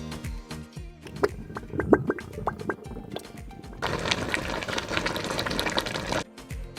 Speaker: the operational activities of the fridge can sometimes produce a boiling or gurgling sound which is completely normal these sounds are caused by the refrigerant flowing through the refrigerator coils especially when the refrigerator compressor works to cool the refrigerator